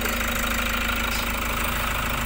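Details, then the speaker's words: 2018 Toyota Hiace Commuter after a cranking no start was fixed (earlier lost communication, B1499 ECU-BCM): steady diesel clatter at an even idle, no misses, hunting or stumbling. "Toyota Hiace. Cranking no start to one click start."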